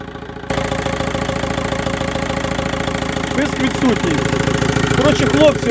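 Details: VW 1.9 TDI diesel at idle after replacing the alternator overrunning clutch pulley: even clatter holds steady while the steering wheel is turned, no squeal rising; whine caused by the alternator clutch is gone.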